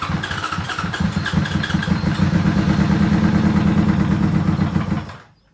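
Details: 2005 Yamaha R6 (YZF600) project bike, tank removed, carb cleaner sprayed into airbox: fires and revs roughly about five seconds then dies; fuel pump not delivering, with tank fuel connections disconnected and a broken tank fitting found.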